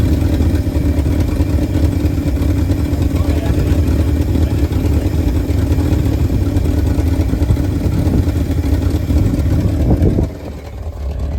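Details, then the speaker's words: 1971 Ford F250 V8 after 9+ years sitting, running with oil pressure normal: deep, steady rumble holding a smooth, even idle until shut off; motor running nice. "Motor's running nice."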